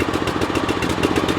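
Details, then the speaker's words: Hustler Sport 42 zero-turn mower single-cylinder engine run on full choke while hot. Quick, slightly lumpy chugging with black smoke and no blue smoke; owner suspects the choke was stuck on. Rich running. "So, it was smoking, but it wasn't the smoke I was worried about. No blue smoke. It looks like it's looks like black smoke. And I think that's just from the choke. And it sounds like the choke was stuck on."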